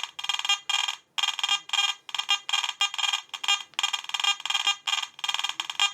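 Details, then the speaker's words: Garrett AT Gold metal detector, sensitivity turned down to nine, possibly some household interference but same as in the field: irregular shrill beeping with detector held still; false-signal chatter, better than before but still not good, source unclear. "that's thing that's special all the way down to nine so as you can see it's quite it's not as bad as it was but it's still not good"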